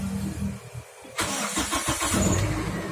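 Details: Older car with a manual key, started during a morning warm-up: a quick crank that catches cleanly into a settled, even idle; the engine is still smooth and its sound normal. Normal start.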